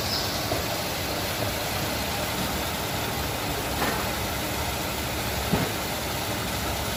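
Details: Nissan Navarra being repaired for misfire code P0304: steady, even idle with a smooth hum and no stumble or missed beat, with road hiss over it; the engine sounds healthy.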